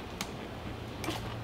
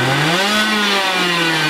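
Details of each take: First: Two-stroke racing go-kart (possibly 100cc) sitting for years, battery charged overnight to 12.9 V: three faint clicks about 0.7 s apart with no cranking; problem between battery and starter, starter corroded with worn brushes, later rebuilt. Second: Two-stroke racing go-kart engine, displacement unknown (60, 85 or 100cc), unused for years, running after a starter rebuild and spark and fuel troubleshooting. Crisp buzz climbs and settles through smooth revs that follow the throttle: healthy running.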